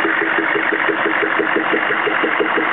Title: CUCV-II 6.5L engine popping noise